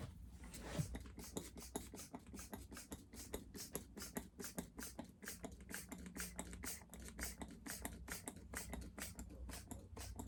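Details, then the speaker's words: McCulloch Super Pro SP125 chainsaw pressure-tested at about 10 psi, leaking down about 4 psi, side cover off. Quick even popping, about four a second, is soapy water bubbling at a slow leak; owner suspects a boot. "Alright, where are we bubbling at? I can hear it bubbling. Can't see it yet."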